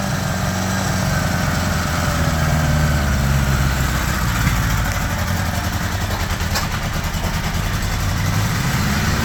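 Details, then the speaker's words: 1975 Honda GL1000 Gold Wing flat-four after resealing and reinstalling the water pump: steady even low rumble, idling slightly high with choke on, no knocks or misses, no coolant leak, less smoke; normal. "That sounds pretty good right there. Idling a bit high, but the choke's still on."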